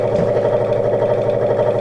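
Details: Old Sears Craftsman 23-inch two-speed scroll saw, under restoration, switched on: steady, even hum with fixed midrange tone, no knocks or rattles, blade not wobbling; runs smoothly and sounds healthy.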